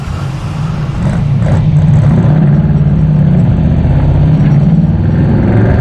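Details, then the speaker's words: 1968 Chevy II Nova SS V8 with new Flowmonster exhaust and 4.56 rear gear, driving at 55 mph and 2900 rpm, mic inside car and GoPro outside: steady high-rev drone under light load, no knocks or misses; healthy, short gearing. "definitely get to hear that uh 456 gear in the rear I'm doing 55 miles an hour right now at 2900 RPM"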